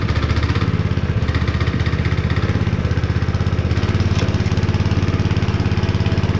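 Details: Honda GX160 5.5HP on a concrete power trowel, unused for years and abused; first start after cleaning the plug and pouring a little gas in the cylinder, warming up. Quick, even single-cylinder putter, steady firing, no misses or knocks. Runs normally; throttle cable still faulty.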